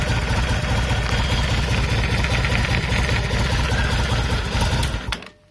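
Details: Yamaha BT 1100 Bulldog V-twin at idle, sounding odd since its last start: loose tapping two or three a second over an uneven firing beat, as if something has play, coming from the middle of the left cover; cause unknown.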